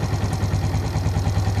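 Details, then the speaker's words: Suzuki Shogun FI (Shogun NR) had a hunting idle and MIL blinking 4 times for an ISC sensor fault; the ISC valve passage was blocked. The next morning it starts easily from cold and idles with an even, steady pulse, no rise or fall. "Langsa mesin itu juga stabil tidak ada naik turun kita tunggu beberapa saat"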